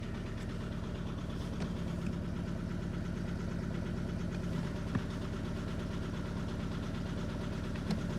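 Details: Audi A3 cold start: uneven lopey rough idle with an occasional stumble every few seconds, a misfire; the owner suspects the fuel injectors, cause not confirmed.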